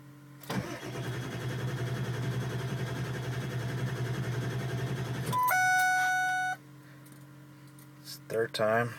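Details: Truck on a Monday morning restart attempt: starter churns steadily at about four beats per second for five seconds, engine never catches, then a dash chime sounds; crank no start.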